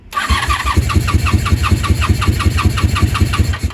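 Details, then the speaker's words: 1987 Honda Super Magna after a new battery and cleaned spark plugs, on full choke with gravity-fed fuel and no starting fluid, giving white smoke while warming: it catches and settles into a lumpy, uneven low-idle putter that doesn't sound healthy. Rough idle, cause not yet found. "back to the white smoke it's still not good I'm telling you all right we're running that was with no starting fluid doesn't sound super healthy"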